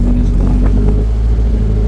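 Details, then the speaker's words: Nissan 240SX turbo project car just revived, idling, not revved since turbo misbehaves and oil leaks remain: steady, even low rumble, no knocks or misses; smooth quiet idle. "It's quiet. She runs on her own, fires up on command."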